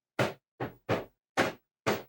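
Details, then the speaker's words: Famicom Disk System failing to load a disk (earlier stuck on error 22, belt issues): five dry clunks at uneven gaps; owner thinks the pin is not getting in, or discs may be bad. "That's what I'm talking about. It sounds like the pin is not getting in"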